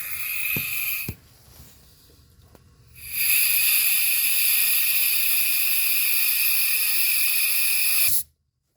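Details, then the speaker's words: Mitsubishi Eclipse, troubleshooting low EGR vacuum: a steady strong hiss as compressed air rushes through the throttle body vacuum port after the clogged hole was cleared. The vacuum source passage is now open. "And I went too far with it, but you could hear the air is now getting, guys, and that's the vacuum source that we need."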